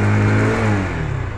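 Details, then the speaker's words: Knight Rider motorcycle after the repair (it had knocked, stalled and boomed on throttle; owner advises draining oil via top nut after rain or washing): engine now takes throttle fully, revs climb smoothly and fall cleanly with no knock or stumble. "দেখুন এই দেখুন বাইকটা এখন সম্পূর্ণ pickup নিতেছে RPM উঠেছে যে ধাক্কা দিত বা নক করতো এই সমস্যাটা কিন্তু এখন আর নেই"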